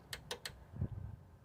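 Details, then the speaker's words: 1984 Toyota pickup with a homemade headlight relay harness: several sharp dry clicks from the relay, a quick triple then a single, as the high beam is switched off, while the high beams get no power; cause not yet found. "but when you turn off the high beam turn off the high beam see you can hear the relay"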